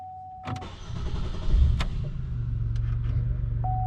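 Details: 2005 Chevrolet Impala, 3800 Series II V6, after camshaft sensor replacement for hard starting; chime, short crank, then steady low even idle with no misses or knocks: normal start and idle.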